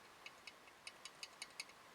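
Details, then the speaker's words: BSA A65 cylinder head off, exhaust valve rocked in its guide by hand: about seven sharp metallic clicks in two seconds; excessive valve-to-guide play despite good running and compression, guides need replacing. "but um there's not much point in putting it back together with that amount of play between a valve and a guide"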